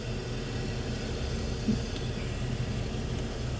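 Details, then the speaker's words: 2005 BMW 325i after replacing the faulty cylinder 2 ignition coil that caused P0300 misfire; steady low idle with even rumble, no stumbles or skips, runs smoothly on all cylinders, new waveform good. "Okay, so no MISFIRE felt, and we're gonna take a look at our brand new waveform."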